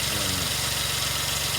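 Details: 2003 Suzuki Jimny JB23W with a K6A engine, running after its water pump was replaced: a short, steady idle with an even tick and a light hiss, no knocks or squeals. The engine sounds healthy.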